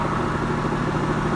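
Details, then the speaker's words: Mercedes C230 Sport after an air-related fault was fixed: steady, even idle with a smooth low hum, no knocking or ticks; normal idle. "motor sounds really good now that we've got that air thing taken care of I can actually hear it you don't hear knocking"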